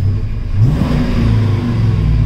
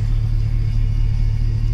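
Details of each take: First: GM Gen V engine swap after a throttle body airflow reset: the engine revs with a deep rumble and returns straight to idle rather than hanging near 3000 rpm for about 10 seconds, as it did before the fix. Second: Gen V engine after a fresh swap, idling with a scanner showing about -20 degrees of ignition timing: deep, lumpy, held-back idle with an uneven low throb that just doesn't sound right; rough idle from overly retarded timing.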